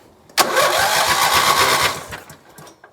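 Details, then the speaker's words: Lawn mower (two spark plugs) after spring tune-up with new battery and new spark plugs gapped to 0.035 in, having previously refused to start: it catches promptly after a short crank and runs quick and even before cutting off, a healthy easy start. "so new battery and spark plugs let's see if it starts wow that is a lot better than it was"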